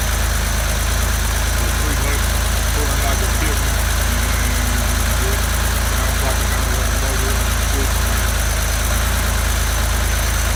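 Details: 1975 Porsche 911 that sat 14 years, after tank cleaning, new injectors, rebuilt fuel distributor, new warm-up regulator (the main fault), fuel filter, good leak-down, valve adjustment, points and plugs. Steady, even idle, no knocks or misses; runs clean.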